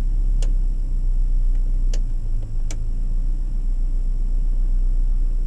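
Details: Volvo 240 2.3 petrol non-turbo, warm, after new spark plugs, wires, distributor cap and rotor; starts without problem. Smooth idle, steady low hum, a few stray light clicks. Normal idle.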